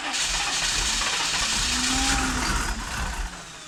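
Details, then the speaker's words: 1993 Chevy 2500 6.5 diesel, cranking after DB2 injection pump replacement and bleeding air, batteries getting weak: starter turns about three times a second, then the diesel catches weakly and fades; hard start, runs smoking heavily. "Alright, well, it's getting close. We're getting something. I have to throw a charger on these batteries, though. They're getting a little weak now."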